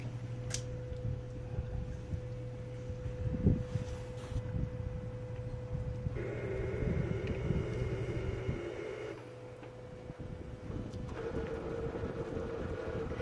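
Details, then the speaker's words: Mosely tankless water heater restarting after a flush, with gas, cold and hot water turned back on: a low steady hum, then a higher buzzing tone switching on and off in blocks as the unit fires up and its sensors sequence normally. "Anyways, if you can't hear it, it's firing up. It's doing this little thing. All the sensors are getting ready to go,"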